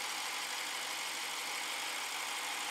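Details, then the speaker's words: 2014 BMW 650 with N63 engine, after the timing repair and two new injectors, idling while exhaust smokes from buildup on the bank that was far out of timing: a steady, even idle with a smooth hiss, no knocks or misses; normal idle. "there it is it's up running it's alive and not sure if i'll get any more captures on this i'm gonna let this run outside and then um just button it all up"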